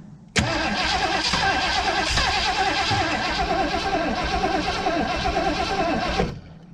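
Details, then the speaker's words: 1980 Ford Bronco, unstarted for 18 months, cranking evenly about six seconds without catching; possibly flooded after Seafoam, owner suspects fuel not being pumped up to the carburetor bowls. Cause not confirmed. "dang thing almost acts like it's not getting gas pumped up"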